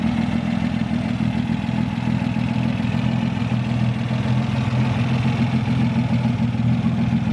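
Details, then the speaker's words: One-owner 1962 Austin Healey 3000 MK2 BT7, tri-carb six-cylinder, 55 years old: steady even idle, smooth low thrum, no knocks or misses; runs great, healthy. "it runs great it really runs quite well"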